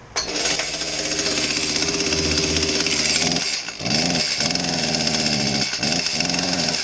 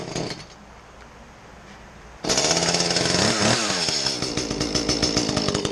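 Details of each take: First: Echo CS-310 small two-stroke chainsaw revving before repair with a dull, choked exhaust note and little crispness or power, as if breathing through a mask; the cause is a carbon-plugged spark arrestor screen. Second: Echo CS-310 small two-stroke chainsaw after the plugged spark arrestor screen was cleared and the muffler bolted back on: after a quiet start it fires and revs crisply with a clear, bright, unmuffled exhaust note, running healthy.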